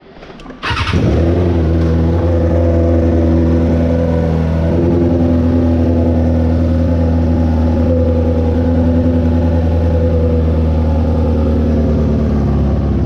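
Bike fires up and revs with a raspy, puffing edge on each firing pulse over the exhaust note, typical of an exhaust leak.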